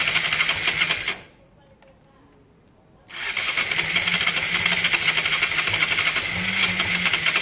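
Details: Honda Varadero 125 on its stand with choke on, during a spark-issue repair, carbs holding only a little fuel: starter cranks in a steady fast churn, stops, then cranks again without clearly catching.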